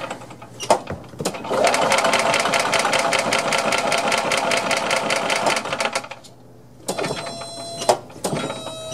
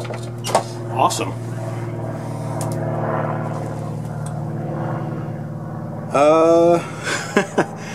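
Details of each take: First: Long-stored Yamaha G2 gas golf cart, first start attempt with key on, gas pedal pressed, in neutral: steady even starter cranking about two and a half turns a second for four seconds, never catches; cranks but won't start, carb cleaner and spark checks planned. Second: Long-stored Yamaha G2 gas golf cart, after carb cleaner sprayed into the carburetor with choke stuck open: small single-cylinder holds a steady low hum with even beat, brief squeal partway through; keeps running.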